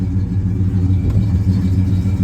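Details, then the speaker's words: 1968 Pontiac LeMans V8, sat 14 years, started on a road trip after dieseling on shutdown: deep, even rumble with a steady beat and no misses, knocks or rattles; normal idle. "well started right [Music] up seems like it's running fine fired right up"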